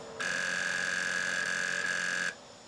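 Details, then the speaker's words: Sony PS2 Slim SCPH-70012, sold as non-working noisy drive: steady high buzzing whir about two seconds then abrupt cutoff, drive strains but won't read; bad micro switch on the bottom of the laser. "Yep. That little micro switch is bad on the bottom of the laser."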